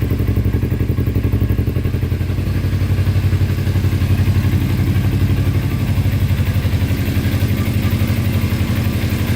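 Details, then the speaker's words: 2000 Kawasaki Ninja 250 with Yoshimura pipes, choke off, uncleaned carburetors, left running to check leaks or overheating: even low putter about four pulses a second, no misses or hunting; normal idle. "far, it's sounding pretty good. That's got to be the easiest fix I've ever had in my life."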